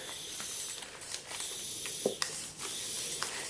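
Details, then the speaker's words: Bicycle inner tube inflated to locate a puncture: a thin, sharp hiss of air rises and fades between handling noises. A strong air jet escapes at a black dot, the puncture, before patching with a repair kit. "Pump it up as much as you can, and you hear it if you can listen carefully. And I can feel that there's a strong jet of air coming out."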